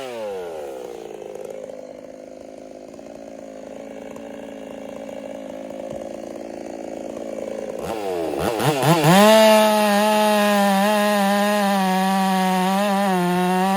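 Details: Ported Husqvarna 385 chainsaw, breaking in, tune slightly rich: uneven idle, then it snaps up to a high, clean steady scream that holds firm cutting very hard oak, healthy.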